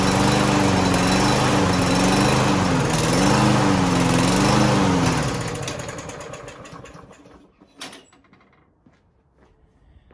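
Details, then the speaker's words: Lawn-Boy push mower that wouldn't start: after starting fluid is sprayed in, it catches with a steady buzz, then fades and dies after about five seconds; starts then stalls. "va más sino todavía ahí arrancó y ya duro un poquito más de tiempo entonces lo voy a calar otra vez"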